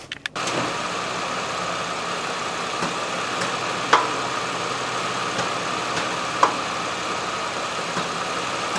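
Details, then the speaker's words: 2017 GMC Acadia, 80,000 miles, idling while shifted between reverse and drive: sharp single clunks over a steady hum, same clunk as on/off throttle while driving; suspected worn CV axle, not certain. "so my guess is it's the CV axle but I'm not 100 sure because I can't uh you know shift it into neutral and drive and reverse without being outside the car"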